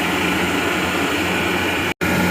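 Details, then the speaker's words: Gardner Denver Electra Screw rotary screw compressor (model EBE99K), 24,873 hours, freshly serviced with new fluids and filters, rebuilt circuit board, 230 V 3-phase; final walk-around running: smooth constant whir and steady hum, no knocks, squeals or rattles; normal running. "This will be a final walk around with the unit running. Just a very nice Gardner Denver electro screw. No irregular noises."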